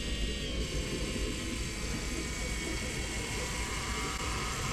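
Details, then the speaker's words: Engine off on a John Deere 6115M tractor after a fuel filter change: a steady faint high-pitched whine as the electric lift pump primes the new filter and purges air. There is apparently no bleed screw, and it is unclear whether the pump cuts off. "you can hear it filling it up I can still hear it running at least it sounds that way"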